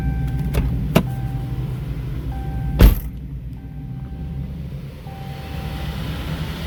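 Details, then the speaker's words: Possibly 2016 Chrysler 200, front-wheel drive, in drive with wheels spinning after isolation test ruling out engine: loud low rumbling growl, grinding also in reverse; noise internal to the transmission. "I personally, that noise is coming. That is loud. Let me stop this. That noise is coming from internal to the transmission, guys."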